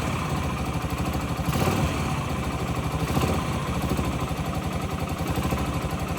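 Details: 2008 Yamaha XT125R Big Wheel, stored 12–15 years, carb cleaned, new battery: even single-cylinder idle thump with quick throttle blips settling cleanly; normal idle, judged mechanically nothing wrong.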